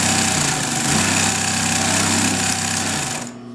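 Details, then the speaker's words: Vintage German Pfaff 134-0-6 industrial sewing machine, probably 1950s. It is a straight-stitch, bottom-feed lockstitch machine sewing 8 layers at high speed, giving fast, even mechanical chatter over a steady motor hum: smooth, consistent, normal operation. "and it's very smooth, really consistent. I don't know, I can't say enough good things about this machine."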